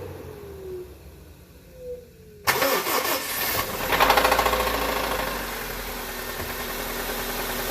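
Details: 2002 Honda Civic D17A 1.7L petrol engine that lost power and grew louder at cruise: it cranks, catches and runs with a repeated deep knock from underneath the engine, suspected rod bearing failure rather than the valve train.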